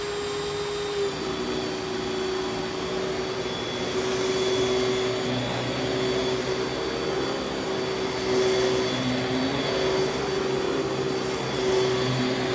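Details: Vintage Panasonic Jet Flo vacuum after belt change: steady whirring hum with a constant even motor tone; runs smoothly and healthy.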